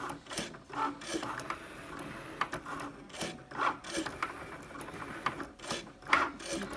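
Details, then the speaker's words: New Cricut Maker on first use, cutting a card: scraping through the cut with sharp knocks about every second as the carriage moves back and forth. "I'm going to load my mat that's the noise so it continues to make this noise throughout the video that I'm making for you"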